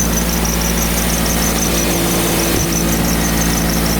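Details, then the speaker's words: 2000 Toyota Celica just after a thermostat replacement (old one stuck open), engine still cold with heat on: a steady idle with a thin high-pitched squeal pulsing on and off. The owner wonders whether it is the water pump; unconfirmed. "make sure the heat is on so that way we open up to the heater core is that the water pump making that noise still cold"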